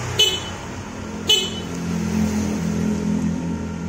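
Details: Honda Scoopy scooter with starter not working, suspected CKP sensor: two short, loud, clear horn toots at full strength without fading, confirming battery is normal; normal horn.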